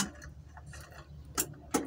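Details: Vehicle that won't start despite a new, checked battery: two sharp single clicks with a quiet hum between and no cranking, the motor never turning over. Owner suspects the starter solenoid.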